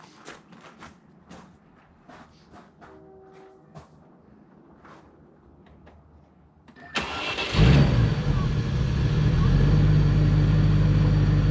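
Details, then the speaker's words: Restored 1997 Land Rover Discovery, fired up after restoration: engine catches quickly, rises briefly, then settles into a steady, quiet, smooth idle with no knocks or rattles; healthy. "outside I just can't get over how quiet and smooth it is this thing just it's amazing what a difference"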